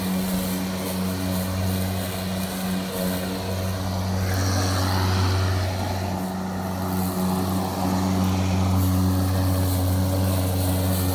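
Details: Milwaukee electric lawn mower with loose power button held in by a pressure clamp, outdoors: steady low motor hum at constant speed with no cut-outs; running normally.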